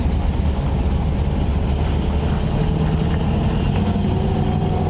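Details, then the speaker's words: 1940 Ford Tudor V8 driving after carburetor cleaning and exhaust leak repair: deep, even rumble, no puffing, ticking or popping, only engine heard; possibly a tiny remaining exhaust spit — normal running. "the exhaust is nice now man you can you know all you hear is the engine"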